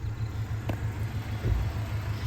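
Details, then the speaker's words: 1994 Ford Ranger XLT four-cylinder after spark plug replacement for suspected detonation: low steady idle rumble with even firing, no misses; just shy of 600 rpm, lower than the wanted 750–800, but running good. "I'd like them to be up at like 750, maybe 800. But right now we're sitting just shy of about 600 RPMs."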